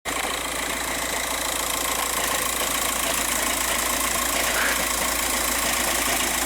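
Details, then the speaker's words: 2006 VW Jetta TDI with DSG at idle: loud, harsh, uneven metallic rattle chattering constantly, also noisy at shutdown; worn-out dual-mass flywheel, one of the worst heard. "customer has this 06 jetta with a rattle noise it's a the dsg flywheel has worn out these rattle all the time this is one of the worst ones i've ever heard though"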